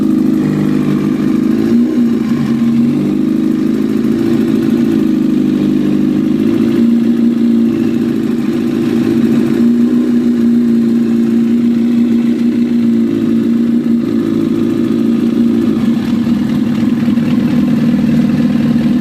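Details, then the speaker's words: 2004 Honda CBR1000RR four-cylinder engine idling and blipping, fine ticking over steady hum that appears on throttle-up; cause unknown, owner asking for advice. "I have a 2004 CBR 1000 and I don't know what the hell is that taking noise."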